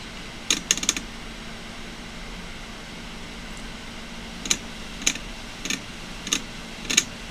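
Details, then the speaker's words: Older failing desktop hard drive, pulled for SMART failures or bad sectors, heavy with two platters: sharp ticks in quick clusters about every half second over faint motor hum as the motor cuts off and restarts; clicking on spin-up. "not happy as you can hear it it cuts the motor off and starts back not happy"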